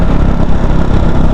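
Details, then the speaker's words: KTM Duke 390 BS4 single after a road trip, idling: light quick tick-tick-tick over idle thump, louder than normal KTM noise; owner suspects cam chain tensioner, not confirmed. "देखे normal noise होती है KTM engine में but इतनी भी नहीं होती देख सकते हो टिक टिक टिक जैसी आवाज आ रही"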